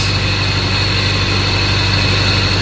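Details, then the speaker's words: 1992 Toyota Celica at idle before alternator replacement: steady high whine over a smooth, even idle, coming from the failed, non-working alternator. "So, I don't know if you guys can hear that, but if you guys can hear that, like it's almost like a whining noise,"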